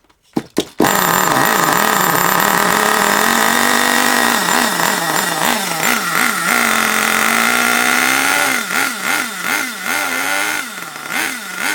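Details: Long-unused HPI Savage 21 nitro RC monster truck engine, last tuned richer for winter, possibly water in the fuel: loud burbly buzz surging and sagging, hunting; mixture very rich, needs leaning out.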